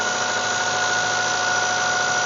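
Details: 1995 Mazda Miata at cold idle first thing in the morning: a steady, high, thin ringing squeal at constant pitch from the front centre of the engine, gone after 5 minutes; owner unsure whether tensioner or water pump.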